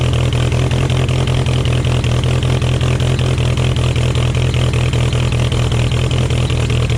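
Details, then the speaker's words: 1966 VW Beetle with a new exhaust and some recent tuning, started after a few weeks sitting, out of gear: a steady, even low idle with an unbroken rhythm and no knocks or misses, so normal idle. "It does sound loads loads better with the new exhaust. Look at those. Doesn't that look lovely? Does sound loads better. Did a little bit of tuning last time. It sounds nice."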